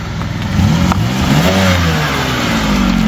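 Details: Suzuki Samurai with Holley Sniper EFI conversion, after fixing wiring and a blown ECU fuse that stopped fuel pressure: engine fires, revs up, then holds a steady, even run without stumbling or knocking; running normally.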